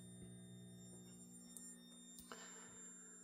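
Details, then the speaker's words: Steady high-pitched whine with low hum from DC 5–36V 400W dual MOSFET PWM dimmer modules driving 12V LEDs at certain dimming levels, still loud despite two layers of sound insulation; cause unclear, possibly PWM frequency. "So, I'm just I I think I'm going to have to try and find a different component that doesn't squeak like that and rebuild those switches."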